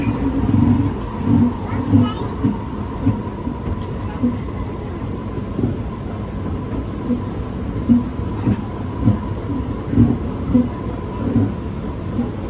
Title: [Strange creaking noises] SMRT EWL R151 Set 827/828 Queenstown to Redhill